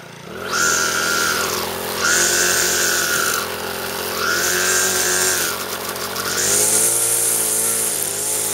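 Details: Troy-Bilt four-stroke weed eater after clutch repair and reassembly, cold on half choke after priming; engine picks up cleanly and settles back over three or four throttle blips without hesitation; runs properly.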